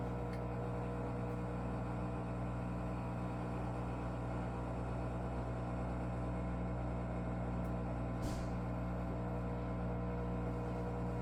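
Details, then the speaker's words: Electrolux washer #549992 draining in the color cycle, noise present even with only water and getting worse over time: a steady, low droning hum with a tonal buzz, growing louder toward the end. Washer laboring during drain, drain pump suspected. "it's laboring it's like see it starts at 14 we had a 15-year-old washer and didn't make that noise before it's going to start getting louder and louder until the end"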